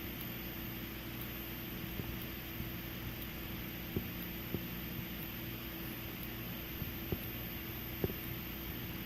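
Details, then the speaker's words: Xenon fire alarm strobe, 1575 candela, on test: steady low hum and faint high whine from the charging capacitor buzz, with a soft tick about once a second as it flashes; normal for this strobe type. "yeah you can hear the buzzing from the capacitor that's in this type of strobe this normal xenon strobe"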